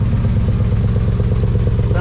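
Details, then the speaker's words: 1980 Chevy C30 dually big-block V8, first start after sitting 26 years, idle turned down, glass-pack muffler with exhaust falling off and blowing into the dirt: deep, loud, lumpy burble with sharp open pulses. Exhaust leak at loose muffler. "pretty good for a glass pack I mean on a big block what do you expect this exhaust falling off it's blowing in the dirt but he's a runner"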